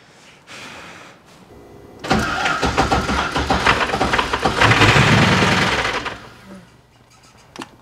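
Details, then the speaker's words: 1998 Porsche Boxster with Audi V8 swap, first start after long break, no coolant filled: cranks, catches, runs about four seconds with harsh rapid chatter over idle. "ça démarre et fonctionne mais ça ça sonne très bavard comme ça quelque chose fait beaucoup de bruit"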